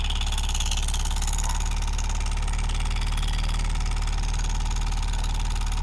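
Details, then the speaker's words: Yamaha R15 V3 idling with valve cover removed, loud fast uneven clatter from engine head; rocker arm roller bearing seized and not turning with the arm due to damaged ball bearing, not loose valve; rocker arm replaced. "the reason for this noise the rocker arm is damaged while checking the rocker arm like this w think that the valve is lose but when we look into this bearing we can understand the bearing is not moving along with the rocker arm the bearing is still study without any movement its is due to the damage in the ball bearing"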